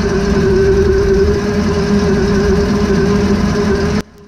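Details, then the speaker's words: 2006 Meridian 341 boat running in drive after realigning the propeller shaft and tightening coupler bolts to cure the cutlass bearing squeak and PSS seal leak. Smooth, even engine drone and steady hum, no knocks, squeals or rubbing before shutoff; healthy, no leak. "it seemed pretty good no water spray and no unusual sounds doesn't seem to be leaking and it sounds better it's not squeaking"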